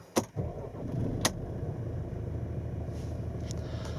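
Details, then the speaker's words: Mercedes B-Class W426 automatic, start-up after ignition on with warning lights showing; short crank, engine catches at once and settles into a smooth even idle; normal start. "So there's all the warning lights. And then we'll just start it"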